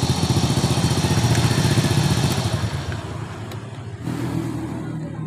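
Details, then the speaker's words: 2001 Honda Supra X underbone idling with a fast, coarse metallic rattle from around the cylinder head over the exhaust beat. Cam chain, tensioner and valve clearance are to be checked, and the cam chain is found tight. A rough top-end rattle, cause not yet identified. "Ya, masalahnya motor ini mesinnya bersuara kasar, bunyi kemerasak."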